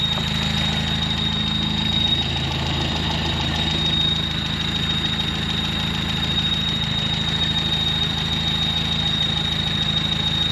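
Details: Carbureted truck, just running on a fresh rebuilt carb, needs more idle. A thin, steady high squeal rides constantly over a rough, lumpy idle. Owner suspects the fan belt, but it is later identified as the squeaky clutch thrust bearing.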